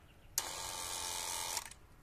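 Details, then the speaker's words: Renault 21 ABS hydraulic pump as the ignition is switched on: sharp electric whir for just over a second, then cuts off; short-cycling because the accumulator sphere's membrane failed and lost its nitrogen charge. "Et dès qu'on va freiner, à peine on va appuyer sur la pédale, direct ça va se mettre à pomper. Direct. On rappuie, hop, ça repompe. On rappuie, ça repompe. Tout le temps. Parce que l'accumulateur ne joue plus son rôle."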